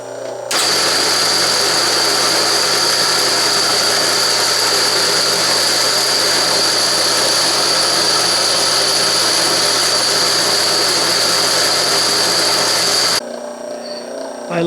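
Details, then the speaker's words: Delta 14-inch bandsaw being slowed for metal cutting, started up: harsh rattly clatter with high steady whine, sounding like a threshing machine; loud clattering drive noise. "now let me go ahead and start up the bandsaw now this sounds like a threshing machine"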